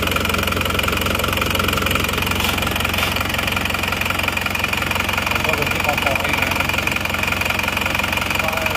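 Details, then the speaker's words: Isuzu Panther diesel just started cold after new cylinder liners replaced a compression leak that only caused smoke at the oil filler cap and dipstick; even, quick clatter with a steady beat and no uneven knocks; normal diesel idle. "Oke ini mesinnya sudah hidup sekarang kita coba Sebentar ya"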